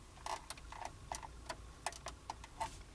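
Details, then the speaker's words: Lada Granta at 5000 km with full sound insulation, quiet cabin while driving: faint, irregular creaks and ticks, two or three a second, from the centre console over low road rumble. "В машине тихо, стало слышно, вот как поскрипывать, вот консоль стала вот здесь"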